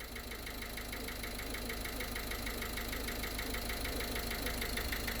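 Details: Ford Connect 1.8 diesel: idle with crisp regular knock about three times a second; oscillograph and directional microphone pinpoint one cylinder, suspected piston knock.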